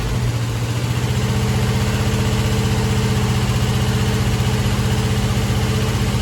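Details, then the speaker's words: Chevy Nova rebuilt engine (earlier had pistons installed backwards) at first fire-up: light regular ticking, roughly four per second over a smooth idle, in time with the engine; traced to a loose rocker arm needing tightening and adjustment. "okay so I did hear a little bit of a noise when I fired this thing up and I found it that rocker's loose so I want to tighten that up readjust it and should be good to go I hope"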